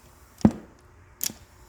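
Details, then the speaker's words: Aftermarket Jensen cassette deck from a junkyard Dodge truck: two dull mechanical clunks with nothing spinning up afterwards, so fast forward and rewind don't engage and the reels don't turn. Owner suspects a worn belt, clutch or band. "the fast forward and Rewind buttons don't really seem to do anything it makes noise"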